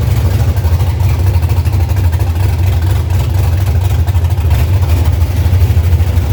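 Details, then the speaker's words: 1965 Chevy C50 truck with first-gen 12-valve Cummins and 5-speed manual, untuned: deep, steady low idle rumble, even with no knocks, misfires or ticking; runs healthily. "But like I said, we got to hear it run, and it sounds really good for no tune at the time"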